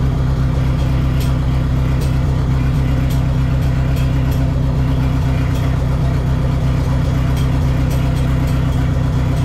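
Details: Neon SRT-4 first start after clutch master cylinder replacement and new plugs gapped at .032: steady, even low idle with a smooth pulse around four per second, no knocks or misses; normal idle, clutch still needs more bleeding.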